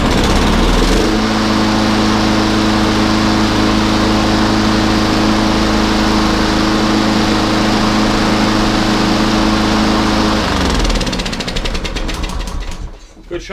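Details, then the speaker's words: Lawnmower small single-cylinder engine that started then stalled, after carburetor cleaning: holds a steady, even beat for about ten seconds before shutting off; normal running, fixed. "She's a runner. Fixed it, Riley. All fixed."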